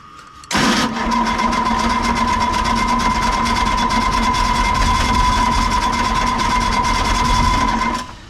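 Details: Excavator diesel that sat for a couple of months cranks steadily about seven seconds on a known good battery but never fires, no exhaust smoke; fuel system found full of air, lost prime suspected, diesel-swollen fuel hose.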